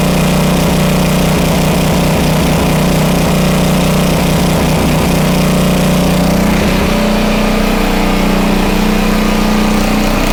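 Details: Homelite 2500 W flathead generator after repair of a stuck valve: steady, even engine drone with a constant low hum and no hunting or surging, holding about 60 Hz (59.9). Normal running.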